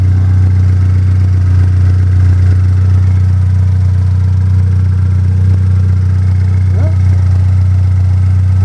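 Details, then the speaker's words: Pontiac Solstice turbo engine idling after its first EFR turbo start-up on the OEM tune. No codes and no oil or coolant leaks. Steady, even drone with no knocks or misses. The owner is still unsure about a strange spooling noise at startup. "sounds good everything looks good I don't see any any oil leaks"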